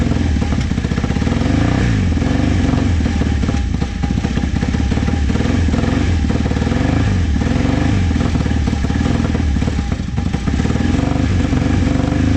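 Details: Vintage motorcycle from a trailer batch, started with starting fluid. A rough, uneven low chug sags and surges and keeps going only on throttle blips, so it won't idle. Owner suspects the idle jets and says the carbs need cleaning.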